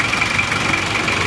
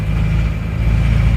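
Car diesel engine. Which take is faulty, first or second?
second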